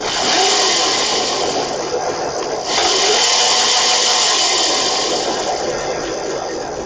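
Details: Razor MX500 electric motorcycle that wouldn't go, tested with covers off: high, steady electric whir swells with throttle and holds smoothly, no grinding or cutting out; motor healthy, fault was control module malfunction.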